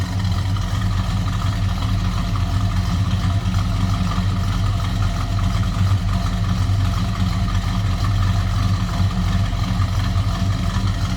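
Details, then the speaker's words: 1972 Buick Skylark GS convertible, 350 V8, shortly after cold start and off high idle, heard from the rear: deep, steady low rumble with even firing beat, no knocks or misses; nice deep exhaust note, healthy idle. "a nice sounding car, nice deep exhaust note."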